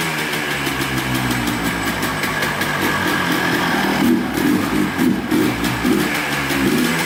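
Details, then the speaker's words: 2003 Yamaha Blaster two-stroke quad, freshly rebuilt top end, running with air filter missing: uneven buzzing with raspy hissy suck over exhaust crackle, sounds like it's sucking in too much air; loud intake noise. "let's just check the air filter here sounds like there might not be one on there yeah so we got we need a screw for that i figured that wasn't on there kind of sounded like it was sucking in too much air"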